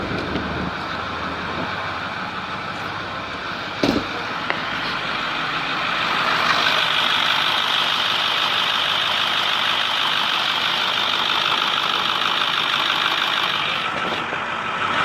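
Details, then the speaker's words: 2010 Ford F350 6.4L diesel idling after repair of exhaust leaks at both exhaust manifolds: steady even note with no ticking or puffing, much quieter, no more exhaust leak. "whoo nice and quiet let's rev it up a few times here that sounds way better"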